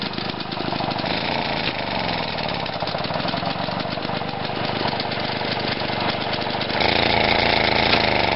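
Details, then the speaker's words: Lawn mower single-cylinder engine after fitting a new ignition coil and setting the timing; runs rough with irregular popping that gets harsher when revved, backfiring out the intake. "i've just put the new coil in and i realized that you can actually set the timing on these engines which is pretty cool i think i've got it going but now when i rev it up it starts to backfire out the"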